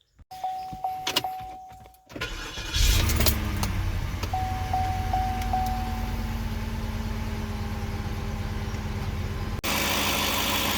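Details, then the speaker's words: 2010 Cadillac DTS Northstar V8 after starter replacement and battery reconnection: the starter cranks briefly, then the engine settles into a steady, even idle with no knocks or grinding. It sounds good, normal idle. "under here looks good, sounds good. I don't really have any complaints at this point, so we're going to go ahead."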